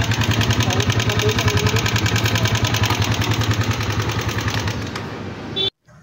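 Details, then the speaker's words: Single-cylinder motorcycle engine at idle with a very loud, fast metallic clatter from the top end; the rider suspects it had no oil; the cylinder head shows a pushrod with its end broken off. "kung narinig niyo naman po yung ingay ng motor na dinala sa atin ay sobrang ingay po talaga nung kanyang makina pero nung Pinakinggan ko mga ka- boss amo sa bandang taas po nanggagaling yung ingay"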